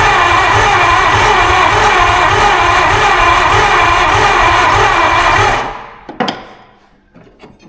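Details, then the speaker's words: 1952 Ford Crestline revived after years sitting in a field, cranked with fuel poured in the carburetor and a vacuum leak: starter turns it at a steady, fairly quick even rhythm with no fire; compression sounds weak, suspected not confirmed. "everything I mean it does sound super low on ression okay okay"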